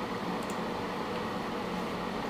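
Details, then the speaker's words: PC running near 190 W idle with a Corsair H100 cooler's fans maxed for an overclocked i7-3770K on Z77, heard alongside a Be Quiet! Dark Power Pro 10 750W PSU: loud, steady airy whoosh, no ticking or rattle; normal full-speed fan noise. "that loud noise you're hearing is of course course I've maximized the fan speed of the um cors h100 so that the CPU can handle additional voltage"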